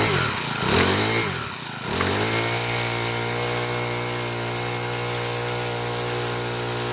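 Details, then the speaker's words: Troy-Bilt four-stroke weed eater after clutch repair, cold on half choke, likely original oil; revs flare and dip briefly, then hold a steady high buzz with a piercing whistle on top; runs really good. "well sounds just fun to me my left ears a little deaf now that whistling really high makes my ears ringing afterwards"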